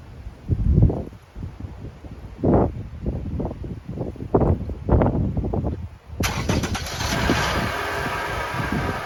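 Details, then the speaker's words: 2012 Toyota RAV4 engine: a few thumps, then it starts and idles with a steady metallic rattle that doesn't go away, from a worn accessory pulley bearing; the belt is to be removed for the fix. "there's a lot of noise when you turn the engine and it doesn't go away so i'm going to show you exactly what the fix is going to be"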